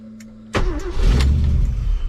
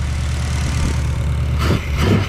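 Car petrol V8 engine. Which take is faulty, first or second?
second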